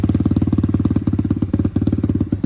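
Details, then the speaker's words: Apollo RXF 125 single-cylinder dirt bike idling on its stock silencer, meter about 1 m from the exhaust, reading about 65 dB: sharp, loud popping pulses, about eleven a second; excessive exhaust noise. "On va se mettre à une certaine distance, à peu près à 1 mètre du pot d'échappement, pour pouvoir regarder ce que ça donne déjà au ralenti. On est à peu près à 65 décibels."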